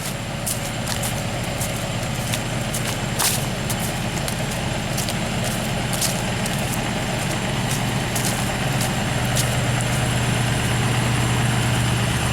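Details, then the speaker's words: 6.0 diesel truck, evening cold start, not yet at temperature: steady, even diesel clatter held at a raised idle, no misses or knocks; healthy cold-start high idle. "Cannot beat the nice high idle of a 6.0. You really can't."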